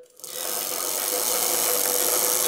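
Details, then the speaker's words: Bicycle coasting without pedalling; a steady raspy whirr with a faint ringing that is quieter when pedalling. Suspected dirty freewheel bearings in the rear hub needing cleaning and lubing, though the chain is also possible. "so again it also be the chain so like if I pedal here it's not that bad but when I stop here it actually kind of gets a little noisy"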